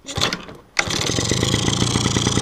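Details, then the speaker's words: Two-stroke engine after carburetor reassembly, started without choke: catches first kick and settles into a quick, even idle with no misses, revs up cleanly; removing choke raises revs slightly while warming, as normal; healthy mixture. "Работает четко, на холостом ходу. Прекрасно газует, как я показывал вам с подсосом."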